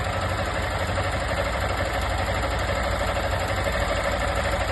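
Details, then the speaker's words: 160 motorcycle engine at idle: light fast tapping about three times a second over the engine; a loose ignition coil rattling, not the engine or valves. "Ó o problema onde é que tá aqui, ó. Não é motor não, viu?"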